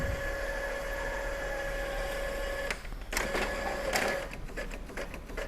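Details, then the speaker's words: Epson L3110 after paper and ink lights blinking together, powered off and back on: steady motor hum, carriage whine, clean paper-feed shuffles and ticks while printing three pages, no grinding; working normally. "Ya sudah berhasil ya pintter sudah berhasil normal"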